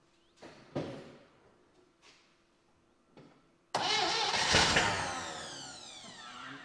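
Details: 1960 Chevy Brookwood wagon engine, sat 20+ years, first start on rebuilt carb, new points and ignition parts, float bowl hand-filled: slow cranks and sputters, then fires and surges unevenly before fading; owner suspects manual choke starving it, fuel pump not pumping.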